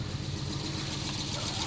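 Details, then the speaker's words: Volvo 850 T5 turbo, first start in 20 years after new fuel pump and timing belt: steady low idle with even exhaust beat, no knocks or misses, running properly. "alive she sounds so good"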